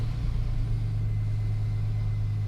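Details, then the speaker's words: 2002 GMC Sierra after a full tune-up with new plugs, wires, cap, rotor, filters and oil: steady, even low rumble at idle with no misses, ticks or knocks; running smoothly. "let's try this again with the battery hooked up there we go pretty normal"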